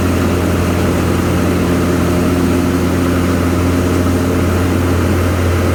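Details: Craftsman Z530 zero-turn after deck repair (deck locked in place), blades engaged: steady low drone with blades turning smoothly, no squeal, grinding or rattle; deck running normally.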